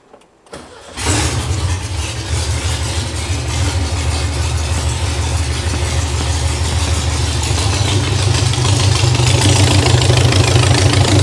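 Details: VW dune buggy air-cooled flat-four after engine and clutch removal and reinstall: cranks briefly, catches at once and settles to a steady, even chuffing idle that firms up slightly. Normal healthy start and idle.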